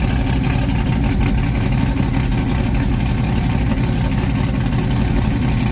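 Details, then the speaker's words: Blown big-block Chevy V8, just refitted in the ute, oil pump primed with a drill and timing set correctly, no coolant yet: deep, heavy, loud steady rumble with no missing or knocking, a normal healthy idle. "I primed the oil pump with a drill before I started it but it's running really good and I got the timing bang on"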